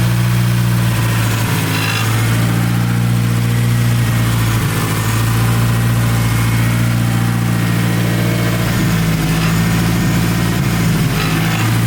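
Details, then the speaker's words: Big-turbo Hyundai Genesis Coupe back running after sitting in the garage: deep steady idle with even low rumble and no misses, knocks or rattles; healthy normal idle. "Yep. She sounded real healthy, sounded real good."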